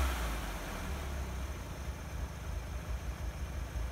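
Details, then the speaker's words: 1961 Chevrolet Corvair Lakewood after FAST XR 700 electronic ignition install and air cleaners reinstalled: steady even low rumble at idle, no misses, stumbles or knocks; starts and idles smoothly, sounds much better. "now check that it still idle smoothly and drive seems good well it certainly sounds a lot better"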